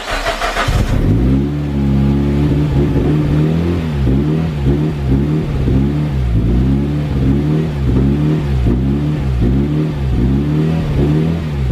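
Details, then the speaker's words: Freshly rebuilt engine first start after replacement for piston impact damage: cranks, catches, then surges and sags about every second; fuel pump keeps turning off, owner unsure why, electrical gremlins previously. Engine surging and cutting out after start. "right it starts but for some reason my fuel pump keeps turning off so i've not a clue what's going on there"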